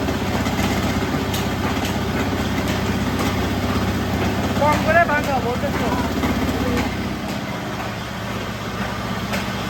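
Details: Rewound old ship motor for single-phase rice mill, at low 195 V supply drawing only 9 A: steady even hum with low electrical buzz, no grinding or rubbing. Normal motor running.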